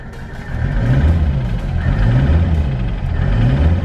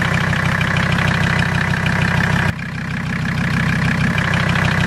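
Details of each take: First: Mercedes diesel after idling a couple of minutes with Seafoam in fuel and crankcase oil: repeated throttle blips climb smoothly and drop back to idle; it could not be revved before. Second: Mercedes diesel just after Seafoam overdose (about 24 oz in fuel, 8 oz in crankcase oil) on start-up: uneven, loping idle clatter with sharp valve tapping; started a little rough.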